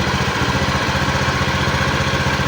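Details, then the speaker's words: Honda Beat injection scooter after about 2 months on Revol Matic 10W40 oil; steady single-cylinder idle with a coarse, uneven chuffing pulse, no knocking, rougher than with usual oil, performance still fine. "ya jadi hasil suaranya ini seperti ini ya untuk dari suara [Musik] agak kasar karena kalau kita menggunakan oliell tidak sekasar ini meskipun tetap ada suara e [Musik]"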